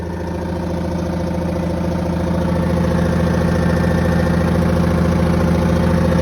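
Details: 1982 Silver Eagle tour bus, Detroit 6V92 two-stroke diesel, parked 6–10 years: steady even idle with fast regular beat around 140 a minute, no knocks or death rattles; normal idle.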